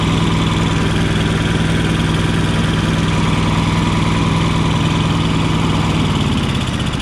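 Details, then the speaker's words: Yamaha EF4500iSE inverter generator running with a bad inverter board (no output to outlets): steady low drone with a lumpy beat of about four pulses a second, sounding rich as if choke were on, though it has no choke; cause unconfirmed. "so at first we try to start this generator with the bad inverter board and we noticed that the this seems like the choke is on"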